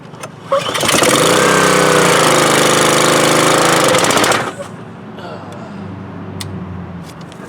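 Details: Subaru engine on an electric-start pressure washer, started on choke after an oil top-up during an oil/fuel leak diagnosis: catches at once and runs steady, even and fast for a few seconds.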